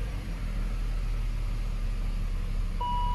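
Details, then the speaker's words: 2002 BMW E39 525i with M54B25 engine and ZF 5HP19 automatic, after new single-prong NGK plugs replaced worn 80,000-mile platinums and a cleaned MAF: an even, steady low idle rumble with no misses and a short chime; it now runs better. "might have to take it for another drive it's definitely running better"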